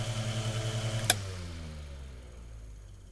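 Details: Mainstays 9-inch high velocity fan after cleaning, oiling and blade balancing; smooth even whir with a steady hum, then a switch click and the motor coasts down quietly; healthy fan motor.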